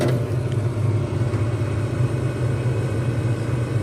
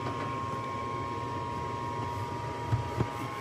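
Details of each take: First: Lennox furnace on a loud-noise service call, noticed over a weekend: loud, steady low roar from the inducer fan; worn inducer fan motor needing repair. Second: Lennox furnace on an R22 system, heating demand: smooth, even inducer fan motor whir with constant mid-pitched tone, no rattle, scrape or wobble; inducer fan running normally.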